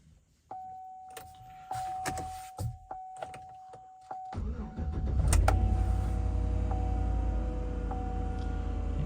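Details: Chevy Tahoe with a failing 6L80E transmission that pulls until warm then quits, cold start: starter cranks into idle with a faint steady whine that may be the transmission pump; cause suspected, not confirmed.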